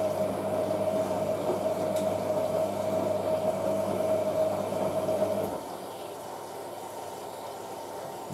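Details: Hotpoint 9530 Electronic 1000 Plus washing machine on a towel and bathrobe wash with Tide HE: steady rush of incoming water with a faint valve hum, shutting off cleanly after five seconds; normal fill.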